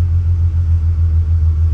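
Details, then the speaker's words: 1983 VW Rabbit GTI MK1 with VR6, gravity-feed tank to Walbro 255 inline pump and regulator: starts right up, deep even rumble with steady beat, no knocks or misses; normal idle. "anyway so you can see here starts right up and you can see 45 47"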